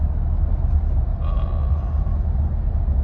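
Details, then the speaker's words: 2019 GMC Sierra, 145,000 miles, front right corner, on hard braking at road speed: deep steady roar like tire noise; owner thinks it's the wheel bearing. Wheel bearing roar. "It's almost like a tire roar, but I think it's that bearing."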